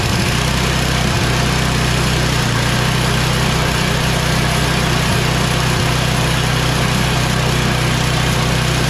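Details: Yard Machines MTD 24" 824 two-stage snow blower with an 8HP Tecumseh Snow King engine, after the carburetor and fuel line were replaced and the oil changed, primed and run on full choke and full throttle. Steady, even low chug with no misses or surging; runs healthy.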